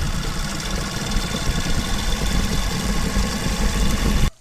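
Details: Motorcycle single-cylinder engine after rebuild, chain clattering noise fixed by reversing a part: even steady thump at idle, no chain clicking, then shut off; running normally.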